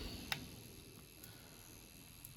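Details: Dualit 4-slice toaster with timer cranked to full: faint sharp ticks about once a second, evenly spaced, over quiet room hum while elements heat. Timer counting down normally.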